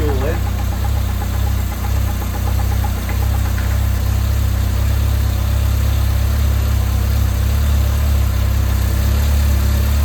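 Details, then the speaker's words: 1980s Toyota Tercel barn find, first run with fuel fed near the fuel pump, possibly by gravity: even steady low rumble with no knocks or misses over ten seconds; smooth healthy idle. "all right so it sounds pretty sweet and good obviously it's near the fuel pump"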